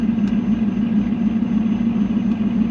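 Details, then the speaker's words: 5.3 V8 Camaro with BTR Stage 2 cam, 88/96 T6 turbo and 4L80E with 4k stall: steady, even idle with no misses or knocks, running a little rich on a spare fuel table, with the 2-bar OS scaled to a 3-bar MAP; normal idle. "yep okay yeah I think we're in business running a little Rich"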